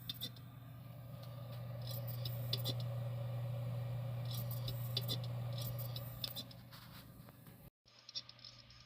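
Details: Xbox external hard drive, warm but not hot, with a steady low hum and sharp regular clicks about three or four a second; flipping the drive did not help and cables were secure. The owner expects it will die soon, so a drive failure is suspected.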